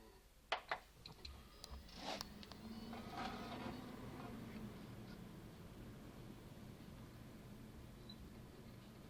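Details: New Western Digital WD2004FBYZ hard drive after shutdown, works perfectly in Windows with no SMART warnings; quiet hum broken by soft clicks and a brief high beeping tone; cause unknown.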